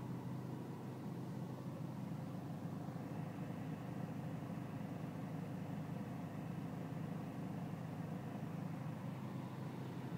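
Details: BMW E46 320cd diesel at low engine and outside temperature: uneven, lumpy idle with low rumble that never smooths out; rough idle, cause not evident.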